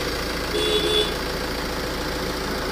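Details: Tata Safari Dicor diesel idling steady and even, with no knocks or misses, after repair; the earlier loud noise came from timing belt timing variation, now corrected with the belt seated properly.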